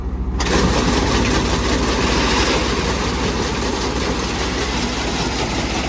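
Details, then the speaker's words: Combine header knife drive after repairing a broken knife head and refitting all knives and nuts: fast, even chatter about three to four strokes a second under a steady machine roar; running smoothly. "looks like it's working fine get going the next one"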